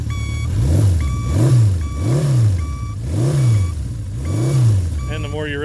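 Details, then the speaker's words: 1975 Honda CB550 Four, 9786 miles, original turn signal beeper, flashes faster as the engine revs: clear two-tone beep about every 0.7 seconds over a revving four-cylinder; beeper working normally. "all the the 70s Hondas like to have the little turn signal uh beeper on them I guess to remind you that you had your signal on"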